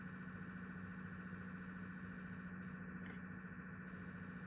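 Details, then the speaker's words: PS5 making strange noises once a game is started: steady low droning hum under load; the console vibrates slightly, has about 20 cm clearance and 10 cm behind, and gets louder after half an hour. "das ist ein video von meiner playstation fünf die macht komische geräusche"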